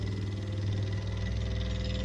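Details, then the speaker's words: Grandfather-built vertical stationary oscillating steam engine, Mamod-like, about 35 years old, first run in ~20 years, valve nearly fully open after 15+ minutes; burner down to one of three fuel bricks, steady chuffing slowing as steam pressure drops. "and you can hear it slowing down so it's it is running out of steam so to speak"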